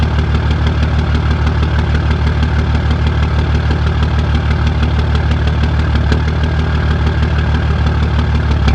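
Diesel idles with a heavy, lumpy beat about three per second, pulses uneven in strength; rough idle, cause not yet found.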